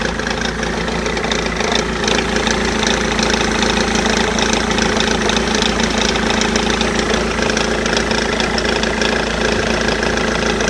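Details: 2005 BMW E46 320d diesel, 73k miles, idling rough: uneven rattling beat like a misfire, quieter once warm, slight smoke pulling off; MAF unplugged made no difference; the failing crankshaft pulley was the cause.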